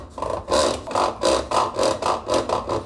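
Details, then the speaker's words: Brastemp Active 11 kg washing machine making noise during wash agitation (not spin): rhythmic rasping rub, about three bursts a second, from a loose bolt on the spin (centrifuge) kit; fix is tightening it with a 13 mm wrench. "Esse é o barulho então aqui ó geralmente acaba se achando esse parafuso E aí a gente vai utilizar essa chave 13 e simplesmente apertar ele até o final"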